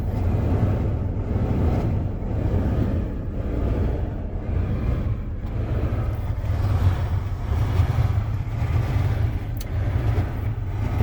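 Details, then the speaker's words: Van HVAC blower on full power with barely any airflow from the front vents: low fan roar swelling and fading about once a second, unchanged by vent or mode settings. Blower fan surging with weak airflow. "I'm on the full power and just having come out in the front bench there's barely any flow coming through you can hear it almost like cycling"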